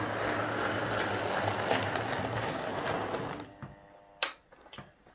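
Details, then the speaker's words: Hornby R150 Class B12 model loco, formerly noisy despite new bearings and gears, now refitted with a different motor: soft, even whirr with light gear ticking, no grinding or stutter; normal quiet running. "so as you can hear that's running quite quiet um let's just back it up so that's running really nice"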